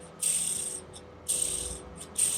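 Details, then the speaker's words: Traxxas TRX 3.3 nitro RC engine teardown: dry, gritty rattling bursts as a worn, loose ball bearing with excessive play is spun by hand; engine made clunking noise, owner suspects overheating caused the failure. "battery look at this Baron this bearing is done it's shot look at that look at the movement look at the movement on this bearing okay so it's causing a lot of trouble here"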